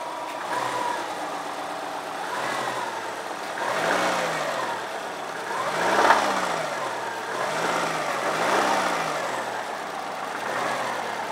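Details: 2002 Subaru WRX turbo petrol engine blipped repeatedly from idle: knocking and rattling, and the owner says it needs an engine; engine knock, cause suspected, not confirmed.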